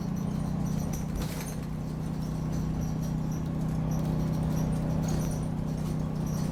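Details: Optare Solo bus YJ12GVT on route 309: irregular high-pitched chirps and squeaks over the steady bus drone while driving, from somewhere in the body; cause unknown.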